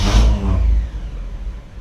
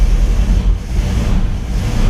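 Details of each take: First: 1959 Chevy Bel Air 348 V8 hot start after 20 minutes off, no accelerator, after cleaning Rochester 4-Jet carb air bleeds; short crank catches almost at once into smooth even idle, hard hot-start problem fixed. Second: 1959 Chevy Bel Air 348 V8, Rochester 4-Jet carb air bleeds just sprayed with Gumout, cranked without choke; deep lumpy idle surging every second or two, stumbling and clearing, engine flooded from carb cleaner.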